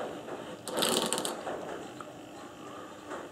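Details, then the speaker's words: Briggs & Stratton engine on Webb cylinder mower, starter clutch turned by hand: short burst of quick, light, even ratchet clicks; normal, pawls thrown out centrifugally so silent when running; earlier catching was caused by gunk. "the reason it doesn't make that noise when it's when the engine is running is because they get thrown out of this face here first centrifugal force so it's perfectly quiet that's the way these work"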